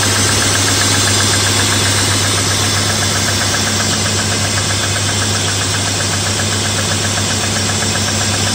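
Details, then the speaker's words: BMW E34 M50 cold start on a morning near +2°C after an oil change that tested how viscosity affects lifters. A light, even hydraulic lifter tick of about four taps a second fades as the engine warms. "конечно чуть чуть огорчило меня эта ситуация стук гидрокомпенсаторов есть чуть-чуть"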